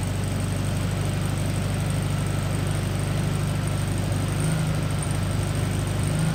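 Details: 1974 VW Beetle (Sunbug) air-cooled flat-four, first run after 30+ years in storage, with a replacement carb, fed from a small temporary tank: steady, even low putter at idle with a regular beat, no knocks or misses; running healthy.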